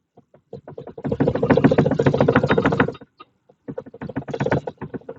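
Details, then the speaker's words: Fiat Strada, microphone placed at the top of the driver-side front strut: rapid dull clunks in two bursts, about three a second, as the wheel is lifted, from play in the strut top mount. "então acredito que deu para aparecer no vídeo esse barulho né então tem folga no coxim do amortecedor do lado do motorista e essa folga no coxim ela faz bater nela faz barulho"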